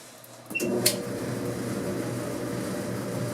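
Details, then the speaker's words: Clothes dryer after squeak repair (drum guide wheels and belt tensioner checked), reassembled: soft steady hum with airflow, no squeak, squeal or thump; drum turning quietly, normal running. "we doggy quiet nice just like a dryer should be"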